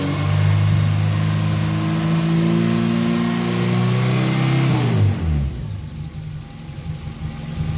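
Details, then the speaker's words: After cleaning and flow-testing the fuel injectors, the car that had run lean with a spike around 3,000 rpm since its first tune revs up cleanly, holds, then drops smoothly toward idle without misfire; normal revving, she's back. "that's hard sound amazing she's back"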